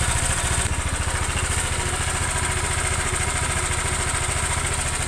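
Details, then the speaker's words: Honda Vario scooter idling with a fast, rough clacking rattle like a cam chain but not; diagnosed as piston slap from a scored piston, plus a loose connecting rod, the bearing wear causing the noise. "Pasti piston Neng Mas Baret Mas biasane baret pistone walaupun kebanyakan matic piston baret ndak keluarkan asap Mas tapi menimbulkan suara se"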